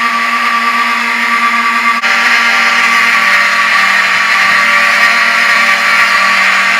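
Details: Vintage Wheelock 7002T horn strobe on demo board after pull-station activation: harsh steady horn tone with a brief dropout about two seconds in, skipping as the strobe flash draws power from the horn.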